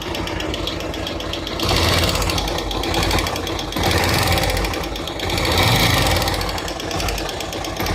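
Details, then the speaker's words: Bajaj Pulsar 150 single-cylinder motorcycle at idle after head work by a local mechanic: heavy rapid tractor-like clatter loud from the head; valve train clatter, tappet and timing check needed. "जैसा कि आपने video देखा उसमें तय आवाज आ रही है वह फीडबैक है पर ऐसा लगता है जैसे कोई ट्रैक्टर स्टार्ट है और ट्रैक्टर नहीं है"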